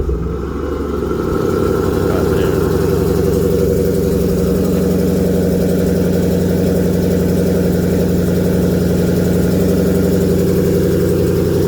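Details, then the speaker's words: 2012 Jeep Grand Cherokee SRT-8, 6.4L HEMI V8, 98k miles, remote cold start: fast idle with a quick puffing tick from a leaking donut gasket at the catalytic converter-to-exhaust manifold flange, fading as idle drops and it warms. "the only other con is the fact it has a minor exhaust leak. Let me remote start it again, see if you guys can hear it. You can hear it on startup."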